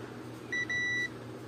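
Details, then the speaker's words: Dell monitor stuck in power save mode, multimeter in buzzer mode with one probe on ground; a clear high half-second beep on one IC pin, none on the others: the IC is shorted to ground. "এই পয়েন্টটাতে beep চলে যায়। কিন্তু আমাদের এই যে আর অন্যান্য যে পয়েন্টগুলো আছে সেখানে কিন্তু বিপ যায় না, শুধু এই জায়গাটায় চলে গেল।"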